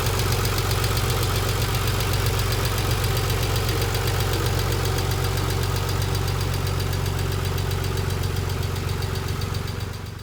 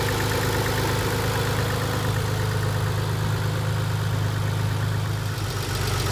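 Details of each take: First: 1990 Nissan 300ZX twin turbo with a used JDM replacement engine, idling with loud rapid metallic ticking from the hydraulic lifters due to low oil pressure; one removed lifter was broken. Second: 1990 Nissan 300ZX twin turbo with used JDM engine idles smoothly, steady low hum, no top-end ticking after fix; lifter noise was caused by a dented oil pan, not bad lifters.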